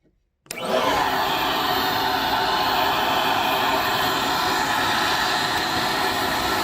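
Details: PulseRam self-cleaning vacuum for tile and flooring removal, with sound-deadening chamber in head shroud; motor spins up in half a second to a steady even airy whine, no surging or rattles: running normally.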